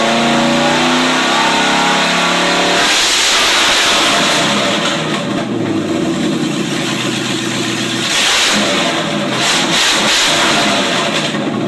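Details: 1995 Range Rover Classic LWB now on MSD Digital 6A ignition with stock coil and open headers: cranks and catches quickly, loud open-pipe burble, revs cleanly and returns to idle without misfire; normal start, idle and revving.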